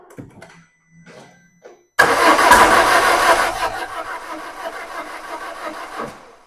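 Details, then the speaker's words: 2005 Peugeot 1007 1.6L 16V 109hp that shook and lost power while driving, then would not start; battery charged, no fault codes. Starter cranks about four seconds with no catch; early firing suspected. Crank no-start. "अब इसे फिर से शुरू करें अरे यार, यह शुरू ही नहीं हो रहा है"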